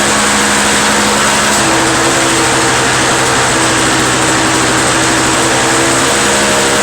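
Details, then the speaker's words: Two-stroke Toro snow blower after carburetor cleaned of a restricted jet: steady high buzzing note at even revs, no surging, coughing or missing; owner suspects plugged jet caused the no-start, now starts first pull and runs cleanly. "i'm thinking it's probably that jet was plugged but whatever it was it's running good now it started the first pull before i pulled up like 20 times and it once started off"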